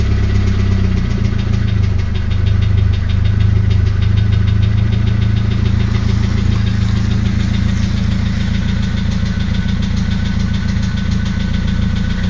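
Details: SR20DET at low idle: a loud rumble with an uneven knock about twice a second that disappears at 1250–1500 rpm. The owner suspects the VCT gear. Rockers, lifters and Mobil 1 5W30 oil are new, cams inspected OK, and disconnecting coils one by one was tried.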